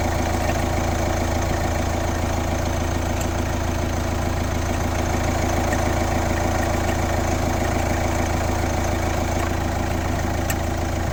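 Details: Kia Ceed 1.6 CRDi diesel (D4FB, 115 km) idling with a steady deep drone and a regular rhythmic pulse about three times a second; the owner calls it a weird engine noise.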